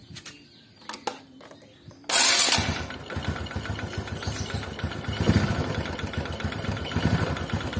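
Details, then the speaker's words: Honda Supra underbone motorcycle starting and idling: light, uneven tek-tek tapping from the top end, attributed to a sticking cam chain tensioner before cleaning. "Sekarang kita mulai untuk coba memperbaikinya yang pertama adalah Tensioner karakter suaranya ini"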